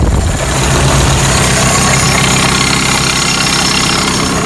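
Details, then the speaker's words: 1985 Toyota pickup, 22R 2.4L four-cylinder carbureted, 2WD, first start after mechanical fuel pump replacement, air filter and cover off; smooth even low rumble at idle, no misses, knocks or stumbles, no leaks; normal idle. "Alright, here we go. We have to pump it up. Well, that sounds good."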